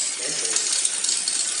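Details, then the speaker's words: Road bike front derailleur with left brifter half-step trim: light, fast, high scratchy metallic tinkling while pedalling as the chain rubs the front derailleur cage. "Nah, ini kan bunyinya cetring-cetring. Jadi cetringnya itu mepet antara ini ya, FD dengan rantai seperti ini nih."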